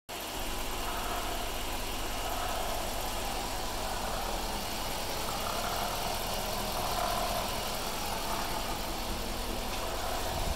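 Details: 2014 Dodge Durango R/T Hemi V8 at steady idle: loose rolling rattle like a marble on a hard floor; cylinder 1 misfire code and engine light sometimes on cold starts, owner suspects cylinder 1 issue, unconfirmed.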